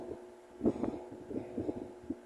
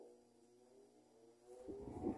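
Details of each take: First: Mallory TS 40 fan running at speed 2: a steady mid hum broken by irregular rattly buzzing bursts. The noise occurs only at speed 2, while speed 3 is strong and quiet. Oscillation is slightly shaky. Cause suspected, not confirmed. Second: Mallory TS40 fan after repair of noise that occurred only on speed 2, running on speed 3: strong, low, steady hum with no rattle or scrape, quiet, with a brief louder rush near the end. Normal running.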